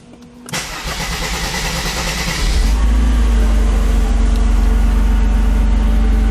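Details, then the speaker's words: 1991 Mercedes-Benz 300SL (R129) after fixing a loose alternator pulley that caused knocking and grinding: brief crank, clean catch, steady even idle with no squeal, knock or grinding. Normal start and idle. "Alternator seems to be working just fine. No more noises."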